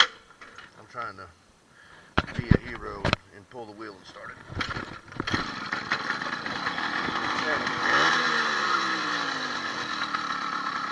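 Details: 80cc two-stroke motorized bicycle engine after upgrading wrist pin needle bearing and piston pin kit, new rings: scattered clatter first, then catches and settles into a steady, even buzzing idle; less vibration, sounds healthy.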